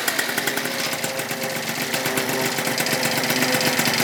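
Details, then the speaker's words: Freshly rebuilt Yamaha Zuma 70cc two-stroke just after its first kickstart, on its first heat cycle warming to about 180: crisp, fast crackle at an even idle, firing steadily without missing. Normal warm-up idle. "Let's let her warm up. First little heat cycle on her. First start, boys. Well, damn, boys, she runs like a champ."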